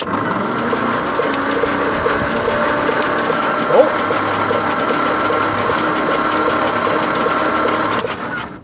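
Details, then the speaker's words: 1950 Nash Statesman unrun 23 years, cranking with plugs out after refitting rotor and distributor cap: steady cranking whirr with only two or three faint snaps from the plug leads; weak spark, no start. "Now we'll see if we've got any spark happening. I don't hear any spark."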